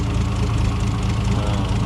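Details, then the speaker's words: 1960 Plymouth Slant 6, warming up with the thermostat not yet open after a radiator repair. Fast, light, even valve train tapping over a steady low idle, typical of a used Slant 6. "Sounds like any used Slant 6 I've ever owned. Just tapping away."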